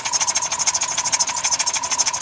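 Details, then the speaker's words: 2005 Dodge Caravan with RMP 3.8 L replacement engine, just past 3-year warranty, began after a 750-mile trip each way, not overheated or low on oil: severe sharp metallic knock about nine times a second at idle, inside engine. "so the engine has a severe knock in it this is the engine over here it has a severe knock"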